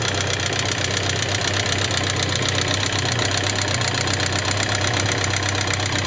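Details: Suzuki GSX750S Katana ticking since the day after hard revving, 20+ years; rocker arms, camshaft and cam-chain parts replaced, tappets set 0.07–0.15mm, unchanged: fast even metallic valve-train clatter about four ticks a second at idle; cause unknown.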